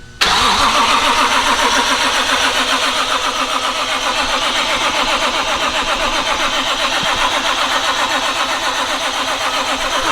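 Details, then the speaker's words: BMW with a swapped JZ inline-six at its first start, cranked with the crank sensor unplugged and no oil primer to build oil pressure; the starter spins it evenly with regular, unskipped compression pulses, so compression sounds good. "that sounds like good compression to me"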